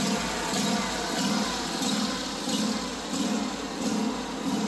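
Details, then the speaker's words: Small mower engine surging at idle, note swelling and sagging about 1.5 times a second; smooths when carb cleaner is sprayed around carb/intake gaskets, a vacuum leak. "this mower was in for it surging during idle so I'm going to Crank It Up and let you listen to how it runs foreign notice how it Smooths out as I spray the carb cleaner around these gaskets then it goes back to idling erratically"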